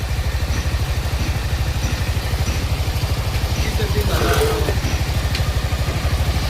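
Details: TVS XL100 BS6 moped after a full engine rebuild. A finished test run with the throttle applied; an even, regular low putter at about three beats a second with no knocks or rattles. Healthy running.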